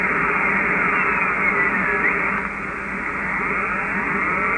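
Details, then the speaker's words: Ham radio receiver tuned to about 474.2 kHz on medium wave while decoding WSPR: constant hissing buzz with fast, regular pulsing across the band; interference traced to an ungrounded fiber internet terminal. "I'm trying to decode whisper on medium wave as you can see we're on for 70 4.20 and I've got noise for that you can hear it to hear that buzz and as I tuned across the area"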